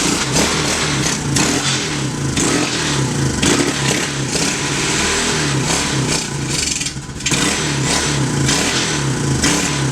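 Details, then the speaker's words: 2016 TAO pit bike found seized, carbureted single, after oil check (suspected hydrolock): fires up and surges and stumbles for several seconds; rough running, owners suspect it's out of gas or the carb needs cleaning. "Let me turn the choke on for you. I think it might be out of gas. I don't know if that carb's going to come around or if we have to put it in the carb bath."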